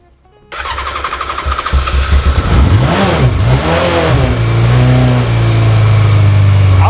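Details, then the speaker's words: Yamaha XJ 600 fed from an auxiliary fuel bottle, choke pulled fully out: silence, then the engine catches and revs up and down unevenly before settling into a steady, rising run; it starts and runs. "bike is running"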